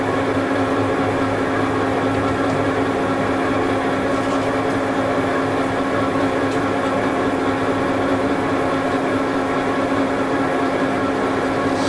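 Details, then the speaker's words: Lathe boring a bearing seat in a large iron blob being made into a housing for a rotating welding positioner, using a standard boring bar with cermet insert on a long reach: steady low rumble with held hum under cutting noise, boring bar chatter. "this is my standard boring bar with the cermet insert and you hear the rumbling that's treasure"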